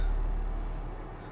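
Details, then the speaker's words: HomePod subwoofer, powered on: deep steady bass tone fading cleanly with no buzz, rattle or distortion; normal bass output from a working woofer. "let's see what's wrong with it we got power and we got base"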